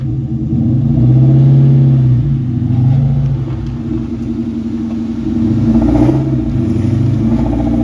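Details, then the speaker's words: 2001 Mustang GT Bullitt after replacing a broken starter believed to have caused a horrific noise: smooth, even engine note rising and falling with throttle on test drive, no grinding or clunking; normal running. "took the car for a test drive ran really good so haven't heard the noise since and I'm pretty sure that's what it was"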